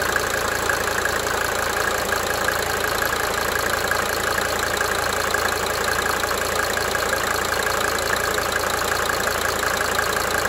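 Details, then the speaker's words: 1992 Mercedes-Benz 300D 2.5 turbo diesel idling: a steady idle with a light, sharp injector tick that swells and fades in cycles. "Here's another video just showing the idling of my 92 Mercedes 300D 2.5 turbo and the cyclic ticking of the"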